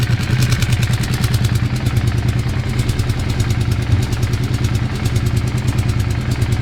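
A steady low idle with a loose, irregular clatter at roughly three beats a second; the noise is abnormal but the cause is unclear.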